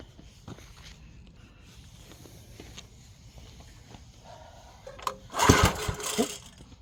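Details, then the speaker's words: 1970s Briggs & Stratton 4hp engine cranked after the spark plug was refitted; mostly quiet cranking, then one brief loud sputter as it fires once and dies. Owner suspects compression is still too low: hard starting. "let me see if it'll if it'll try to even start joke right here I I think the compression is still too low to fire"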